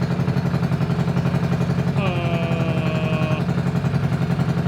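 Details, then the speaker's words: Trailmaster MB200 mini bike, modified Jiang Dong 196cc OHV engine rebuilt with new crankshaft, rod and Fire 265 camshaft, first start for cam break-in: smooth even low putter at steady fast idle, no knocks or misses; normal idle. "Yeah, you're right. Sounds good."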